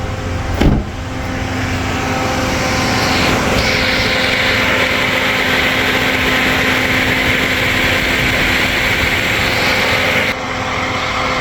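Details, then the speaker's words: 2007 Toyota Yaris idling with the AC on full after a new Denso 90987-04004 high-speed fan relay was installed: a steady, strong rushing whoosh at even pitch as the radiator fan now runs properly on high; before, it bogged and shook. "Turn everything all the way up. AC on. I can already hear it's on."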